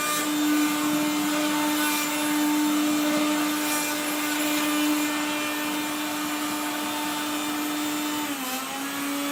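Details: 1970s Regina Electrikbroom 3-speed vacuum, loud motor whine with rough gritty grinding rasp stepping down through speeds then winding off; motor and fan dry after someone washed it, dry motor bearings.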